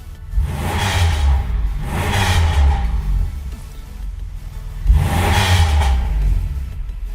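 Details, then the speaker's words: Copart Pontiac Grand Prix after fixing starting and idle problem: three throttle blips each returning cleanly to steady idle with no dip or hunt; previously RPMs dropped then recovered, now stay level, issue fixed. "good though before when I would do that when the RPMs would come back down they would they would drop and then come back up now they're just staying level now so that's I'd say that was our issue"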